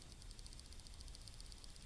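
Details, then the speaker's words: Shimano Cardiff 400/401 baitcasting reel: a light, fast, even clicking, about ten a second, as the handle turns, from a worn internal bearing. The reel still casts and works smoothly, so it is not a functional problem. "okay this is not a functional problem with the reel you can fish like this 10 more years nothing will happen but there is a slight clicking noise when you work it"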